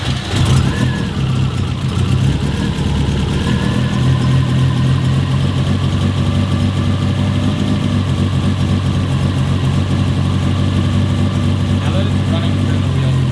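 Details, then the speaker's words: 2005 Subaru STI after full rebuild (new head gaskets, valves, seals), restart: deep steady slightly lumpy cammed idle with no tick or tap; normal idle, though P0011 over-advanced cam timing, possibly OCV, is suspected. "it's crazy how much of a difference it sounds that rather at the right duration now that sounds insane"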